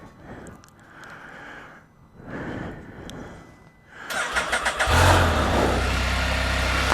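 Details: 2020 Can-Am Spyder F3-T, start after work on a no-start condition: a few quiet seconds, then it catches promptly and settles into a steady, even idle with no stumble, normal start.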